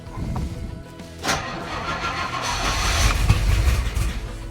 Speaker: Let's see if we've got the float chambers full now. Sounds like we haven't quite got the fuel prime yet.